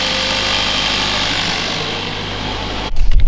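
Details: Mercedes W177 A45s first cold start after fitting a 200-cell sports cat downpipe with reused manifold gasket: deep steady even idle rumble before a blip, no ticking or puffing at the manifold; no air leak felt.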